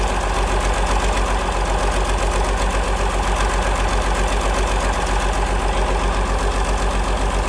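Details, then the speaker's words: 1947 Cletrac FDE diesel crawler after years sitting, injection pump freed, fresh fuel, preheated, run briefly with a water leak and no fan belt: steady, even diesel idle near four beats a second; normal idle. "There she is, folks. Running like a charm. Have to shut it down here pretty quick cuz I got a good water leak and uh there's no belt."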